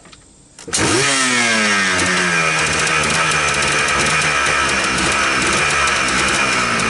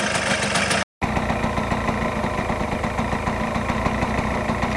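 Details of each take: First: 1999 Yamaha Blaster two-stroke after cleaning mouse-nest debris from the airbox, reeds and engine, fresh air cleaner, 32:1 premix: cold start catches within a second, revs and settles into a loud, crisp steady buzz; normal cold start. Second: 1999 Yamaha Blaster two-stroke, warmed up on 32:1 premix after cleaning mouse-nest debris from the airbox, reeds and engine. It idles with a steady but slightly slow, lazy popping beat, so the idle needs raising a little.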